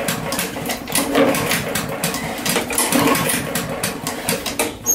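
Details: MTD Yard Machines trash-picked lawn mower, Chinese 123cc engine, sat all winter with fuel in it: choke on, repeated pull-cord strokes with good but uneven compression puffs and no firing; found bone-dry, starving it of fuel.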